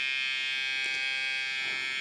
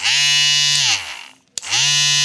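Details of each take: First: Hair trimmer, a steady even high-pitched buzz with no rattle or pitch change; it stays quiet and runs normally. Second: Kemei trimmer fitted with an AliExpress replacement blade, zeroed but not perfectly aligned: two bursts of loud, harsh, high-pitched buzzing over a steady motor tone; something seems loose or not positioned correctly; excessive blade noise.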